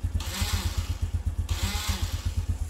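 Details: Honda Revo Absolute/Blade carburetor, starter switch circuit check with ignition on and a test lamp on the yellow-red wire: quick starter whirr, then the single catches and settles into an even low putter; normal.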